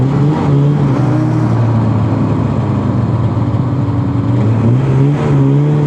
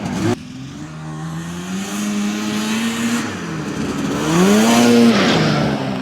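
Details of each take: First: 1981 Ski-Doo Blizzard 5500 two-stroke snowmobile with spark and fuel checked: drones steadily at low speed with a ragged, uneven edge; fine slow but breaks up at high speed, only 30 mph. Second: 1981 Ski-Doo Blizzard 5500 two-stroke snowmobile, coil replaced and plugged in, airbox off: winds up cleanly, pitch climbing and falling smoothly through revs, no stumbling or bogging; healthy full-throttle run.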